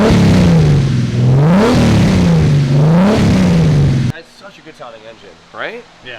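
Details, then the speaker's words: Turbo BMW E36 wagon at first start-up after rebuild, engine now has compression and runs strongly and evenly on all six cylinders (one was missing last run), revs rising and falling smoothly with throttle, no stumble; normal running. "it sounds great it's good well I'm happy the engine now has compression sounds like it's running on off six now that's good"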